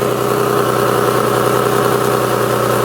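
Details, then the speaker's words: Nissan 350Z idling with a coarse, raspy, tractor-like chuff on every firing pulse; the flex section of the exhaust Y-pipe is blown, to be replaced with a Z1 Y-pipe. Exhaust leak. "y pipe is not good it's literally blown by the little um i forget what it's called but it's like the little the flex the flex side of it of the thing so yeah it's blown"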